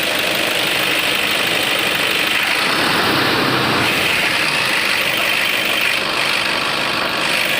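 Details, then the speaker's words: Toyota Innova diesel idling after V-belt replacement, run warm for 15-20 minutes when the noise previously appeared: even idle with steady hiss, no squeal, chirp or knock; belt noise fixed. "15 से 20 minute हो गया है गाड़ी को मैं starting रखा हूं बस ऐसा है कुछ भी आवाज इसमें नहीं है तो जो भी अपना प्रॉब्लम था वह सॉल्व हो गया है"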